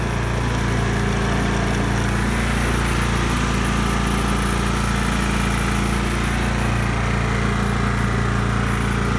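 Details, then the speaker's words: John Deere L110 lawn tractor curb find, started on a battery jump with choke: the engine holds an even, steady low drone with no misses or knocks. Gas tank has a problem. Normal running. "well so there is a little bit of promise with this one obviously it runs and it seems to run well enough"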